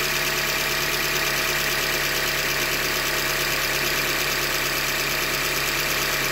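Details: 2015 Hyundai Elantra Limited at 90K, idling: hard metallic knock about three a second over a steady petrol idle, short block failure from a manufacturing defect; short block later replaced.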